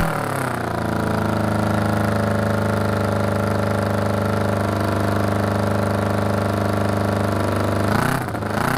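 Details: 1981 Honda CB750 being built as a cafe racer, exhaust packed with fiberglass: steady, even four-cylinder idle with a smooth low drone and no popping or rattles; normal idle.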